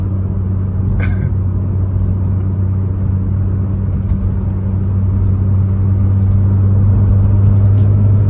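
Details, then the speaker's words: Nissan Skyline R34 GT-R (stated 900 HP) cruising on the road: deep, steady low hum, even and unchanging, no knocks or whine; the hum comes from the tires and is normal. "ses lastiklerden geliyor Arkadaşlar şimdi lastikler olunca Oo diye uğultu ses geliyor tamam Normal yani"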